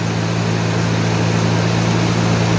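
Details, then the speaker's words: 1991 Mercedes 190E just after new hydraulic lifters fitted, first start after sitting a day with lifters bled out: smooth steady idle, even low hum, no top-end ticking even before lifters fully filled; normal idle. "these lifters even not fully not fully uh filled no noise not even properly filled up"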